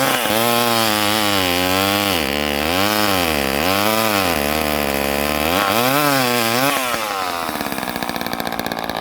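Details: Late-1970s Craftsman 2.1 vintage mini chainsaw (rebranded Poulan 25DA) cutting: crisp two-stroke buzz rising and bogging evenly into wood, revving back cleanly each cut; runs healthy.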